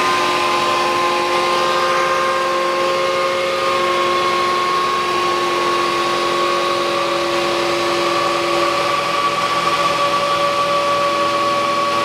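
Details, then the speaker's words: 2009 Nissan Qashqai 2.0 petrol 4WD CVT, 142,000 km, after CVT oil and filter change, engine idling cold; steady mid-pitched whine plus fainter higher tone from the variator when cold, which goes away once warm. "какой-то вот Звук есть в вариаторе на холодную Если вы слышите такой вот потом он проходит"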